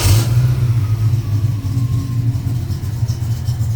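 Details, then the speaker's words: 1972 Mustang Mach 1 restoration V8 ($1,000 engine) start-up, air cleaner not bolted down: fires quickly after short crank into a deep steady rumble, no knocks or misses; lots of oil pressure, quiet; power steering pump audible. "That thing runs good, man. I for $1,000 motor, I couldn't be any happier. Lots of oil pressure, quiet."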